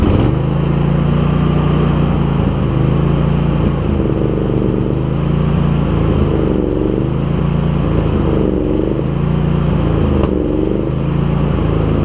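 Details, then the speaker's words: Husqvarna YTH2348 riding mower at idle: engine hunts and sags, revs dipping and surging every couple of seconds, then stalls; owner wonders about spark plugs but suspects it is simply out of gas. "We got a little bit of a rough idle. I wonder if this thing could benefit from some plugs. It could be out of gas, you never know."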